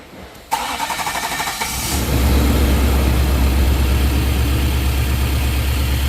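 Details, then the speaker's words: Engine with very old fuel, battery down about 1.5 years and revived on repair-cycle charge; short crank then starts good but idles a little rough with faint uneven pulse before new plugs and fresh fuel; rough idle. "And you'll hear it starts good, it's just running a little bit rough."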